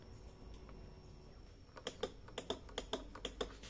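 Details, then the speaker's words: Motorcycle that won't start, ignition on and starter button pressed: about eight sharp clicks in quick pairs from the starter relay engaging, with no cranking, starter motor not turning. "Nah jadi kalau ee di start ikut cuma bunyi cetik-cetik Nah apa sih yang bunyi di sini itu adalah relay berarti kalau e tombol stter ditekan relay aktif maka akan berbunyi seperti itu la"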